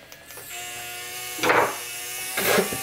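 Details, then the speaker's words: 1987 RCA CPR300 VHS camcorder under repair, during fast-forward/rewind: thin motor whine with two harsh raspy surges about a second apart; the tape transport is grinding, suspected belt problems or the pinch roller. "oh yeah we got some other belt problems I bet you it's that pinch roller let's see if we can fast forward and Rewind stop"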